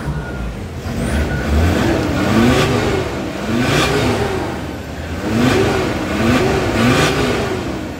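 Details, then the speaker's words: VW Crafter diesel after welding the cracked EGR corrugated pipe with brass, rebuilding the starter and restoring the lambda sensor: smooth repeated rev rises and falls with no hiss or exhaust leak anywhere; normal revving after repair. "песня для ушей отлично великолепно великолепно всё нигде не сечёт нигде не под секаев"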